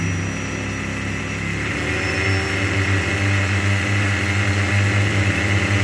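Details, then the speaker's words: Normal brushless (BLDC) motor driven by an ESC calibrated with a 1–2 ms PWM throttle signal from an STM32 via potentiometer; a steady hum rises in pitch as throttle increases and holds even. "let's rotate the motor you can judge the speed by listening to the sound it is making"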